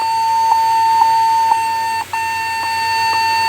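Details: Lenovo G50-70 laptop powering on: steady high-pitched beep with faint ticks about every half second and one brief dropout, no display, restarting; corrupt BIOS.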